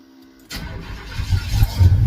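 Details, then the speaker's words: Chevy engine after replacing a stuck knock sensor: quick crank, catches at once and climbs into a deep, strong rev with no knock or misfire; running really good after repair. "Well, it's 100% the knock sensor, dude. This thing's running like a scalded dog. It's running good. Running really good."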